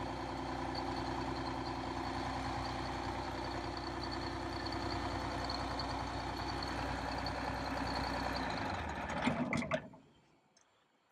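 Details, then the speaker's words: Detroit Diesel 6V92 in MC9 bus, cold start in late October (engine around 39–40°F): after more throttle all cylinders fire, giving an even idle with no missing beats, then engine is shut down; owner suspects leaking/clogged injectors or stuck rings. "so when I gave it some more fuel eventually it seemed like all the cylinders would light and now it's running normally"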